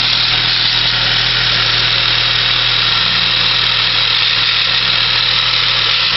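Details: 1996 Saab 900S engine idling: steady idle under a loud constant high hiss-like whir from the belt and pulley area, cause not identified; abnormal noise from belt and pulley area.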